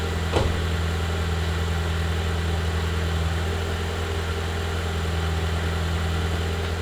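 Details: BMW E36 touring, first start in six months after re-gasketing the engine, with no exhaust fitted: loud, raw, steady idle with a hard low bass drone and no muffling; engine won't rev properly due to a part left unconnected.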